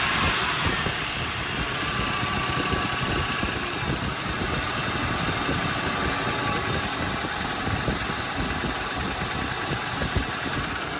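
Steady V8 idle with a fast, light tapping buried in the engine clatter, even and unchanging; a top-end tap, cause not yet pinned down.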